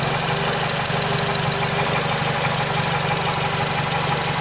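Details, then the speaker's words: 2008 Nissan Versa, after A/C compressor clutch repair, owner complains idle surges and hiccups; slightly uneven beat hunting up and down, rpm dropping about 750 to 650; cause not yet found; unstable idle surging. "customer has another complaint and said I idle the engine kind of surges it's kind of surging right now kind of hiccups the RPMs aren't very stable"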